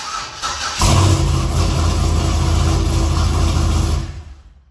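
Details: Chevrolet Silverado pickup that would not start, after fuel pump replacement, new hose and clamps (pump now sounds louder): short crank, fires and settles into a steady, even idle with a deep smooth hum, no stumble; normal start.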